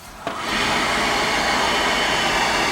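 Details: Bock oil-fired 40-gallon water heater with Carlin burner and new motor after basement flood: click, then quick rise into loud steady roaring rush; burner lit and firing normally.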